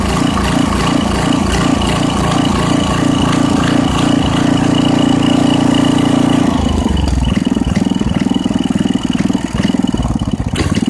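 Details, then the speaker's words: 1989 Briggs & Stratton 5 hp 13 cubic inch engine, 6:1 gear reduction, from a dethatcher, sat for years, no air filter: single-cylinder thumping about three beats a second, slowing and uneven, needs choke; low idle speed, rpm to be raised. "okay so um it sounds like it's a little bit it's running a little bit slower than uh it should be so i'm gonna have to speed up the rpm just a bit"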